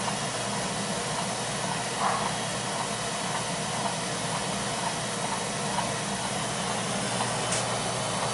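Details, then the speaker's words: Beckett oil burner that starts smooth then vibrates and shakes the smoke pipe: steady burner roar with faint irregular clicks about once a second, getting faster, earlier louder; loose fan or fan blade suspected, not confirmed. "that clicking noise there yeah it was a lot louder than now getting faster yeah yeah it sounds like I might be a loose fan or something yeah a loose fan blade or maybe a couple or something"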